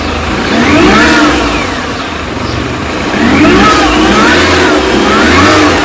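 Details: 2005 R53 Mini Cooper S with a noise on lift-off and lack of power: after a timing chain kit and a supercharger service with new gaskets, revs rise and fall with an engine-speed whine and the lift-off noise is still present, cause unknown.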